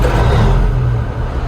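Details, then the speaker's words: Old 379 10-wheel dump truck with a 13-speed, formerly an over-the-road truck, fitted with 8–10 inch pipes: the big diesel fires right up on the start button into a deep, steady rumble. Normal diesel start. "Fired right up. Yeah, I could get behind dump trucking and something like this."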